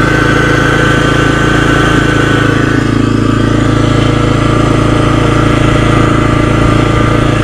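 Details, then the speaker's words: 2016 Kawasaki Brute Force 300 ATV that had been sitting: steady idle with a rough grinding growl from the left side by the CVT belt; the cause was a failing bearing behind the clutch pack, caught before it damaged the transmission. "Definitely not supposed to be doing that. She's been sitting for a while."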